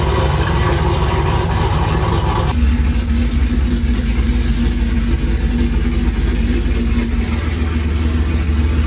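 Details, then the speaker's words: 1964 Ford F100 body on modern Cadillac Escalade chassis, first drive: strong V8 pulling steadily under load, smooth even rumble with no misses; running well, before it later possibly got too hot and wouldn't restart. "I just want to make sure everything ran. It runs great. It is a freaking beast."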